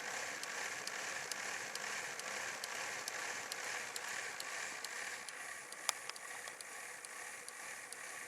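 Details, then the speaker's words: HO scale DJH NSWGR D57 class locomotive kit at low speed: light, regular ticking two or three times a second over a soft motor whir, as the Gresley valve gear's short compensating link, damaged when drilled through the centre, taps as it strikes. "You can see it's sort of hitting back here, because the short compensating link, which is this one here, when I drilled through the centre, the middle part got slightly buggered up a bit. So you can hear it tapping."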